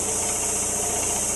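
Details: About 40-year-old air compressor near 60 psi: it runs with a strong airy hiss, a dull repeating knock and slight stuttering; a failed reed valve is suspected, not confirmed.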